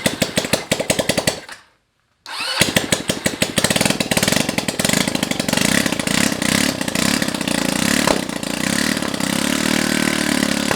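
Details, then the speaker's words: Honda Ruckus scooter engine on its first start in a long time, with a rewired start harness, vacuum fuel pump and no exhaust fitted: cranks, then a sharp rapid crackle of pops at the exhaust port. Open-exhaust popping, nothing else wrong. "keep in mind that there's no exhaust on this and it's gonna probably sound like popcorn or something popping yep really it just sounds like buttons it'll sound like bubbles popping"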